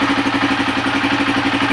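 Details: Honda TMX155 single-cylinder with CDI after repair of backfiring and hard starting, wires rerouted away from the speedometer bracket: quick, even idle pulses, no misses or pops; normal idle.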